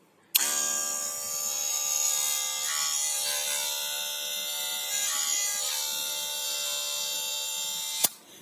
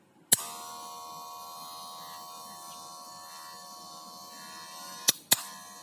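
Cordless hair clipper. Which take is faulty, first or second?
first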